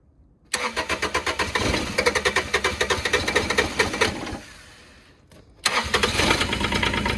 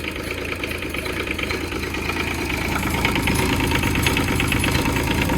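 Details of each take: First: Develon DX10/E10 mini digger diesel, long-sitting, started cold without glow-plug heat: long uneven cranking that coughs, nearly catches, dies, then fires and clatters on; hard cold start. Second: Develon E10 micro excavator diesel, first run after sitting a long time: steady diesel clatter at idle, about three beats a second, even and unbroken; the engine runs cleanly.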